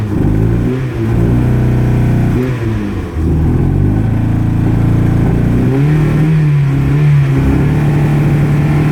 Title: Cold misfire and won't rev